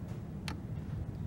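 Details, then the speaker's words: Olympus BH-2 compound microscope: one sharp light click as the rotating objective turret is turned, then quiet, showing the objective lens has clipped into position correctly. "I don't know if you could hear that but there's actually a clicking sound when it's in place"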